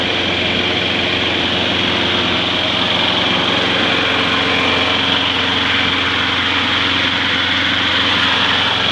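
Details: Trash-found mower after cleanup with grill cleaner and water, handle tied down to run and dry off: steady even buzz at constant speed, no misses or knocks; runs normally, though it was later found losing oil.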